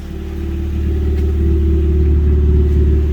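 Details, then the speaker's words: Car exhaust after fitting a new gasket and refitting the back box: deep, even rumble building smoothly with revs, no blowing or ticking from the joints, much quieter than before. Healthy exhaust. "That's better. That's a lot better. A lot quieter as well."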